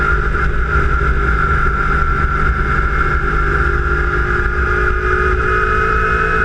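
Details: Kawasaki Ninja 250 under way, GoPro mounted by the front wheel near the engine: a steady engine drone with a constant high-pitched whine over it; a strange engine noise, cause unidentified.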